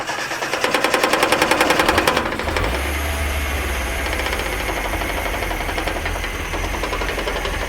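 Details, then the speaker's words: 1982 Datsun 720 4x4, 41,000 miles, long-stored: loud uneven chugging that stumbles, then drops to a lower, shakier idle; carb idle circuit believed clogged, running mostly on raised throttle, possibly low on gas. "Like I say, it's not idling correctly. Mostly running off of where I got the throttle turned up."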